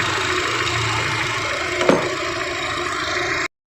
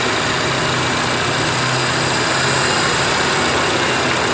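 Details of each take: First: Honda Jazz with CVT automatic, petrol engine idling evenly at about 900 rpm with AC off after idle adjustment, no dips or shake; rising near 1000 rpm with AC on. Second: Idling Honda Jazz (probably 2006) petrol engine with CVT automatic, owner's complaint noise and shaking when shifting to R or D; idle lifts and eases as the adjuster is shifted right (higher) or left (lower), target about 1100, max 1500 rpm.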